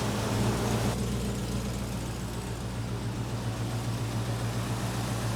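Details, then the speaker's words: 1972 Mercedes 300SEL 4.5 V8, 75,000 miles, revived after 12 years stored with new fuel, pump, filter and hoses; cold before warm-up, steady idle pulsing slightly unevenly, rough; owner suspects dirty distributor trigger points and old gummed spark plugs. "little better as I getting closer but we do have an issue with a little bit of a mess and I can almost guarantee you if I get into that distributor II clean those trigger points this engines gonna screw that we probably have old and gummed up spark plugs as well"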